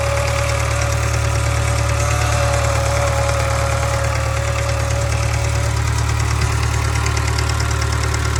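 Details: 2013 Subaru 2.0 Boxer idling: deep steady hum with a regular light knock about three per second above the engine note; engine knock and hum.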